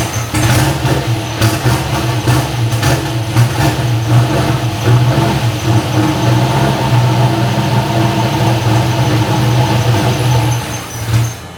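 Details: First startup of freshly built cammed LS V8 with new insulated stainless exhaust: starts instantly, deep loping idle with uneven cam chop, has oil, no ticks or knocks; normal idle.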